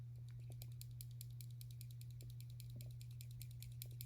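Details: Doug Ritter Hogue Mini RSK MK1G2 folding knife (MagnaCut, carbon fiber) makes light, dry internal rattle ticks. The rattle persists while the blade, clip and lock bar are pressed down. Source not yet found.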